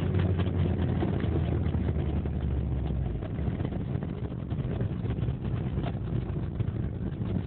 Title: 1.8 Isuzu rod knock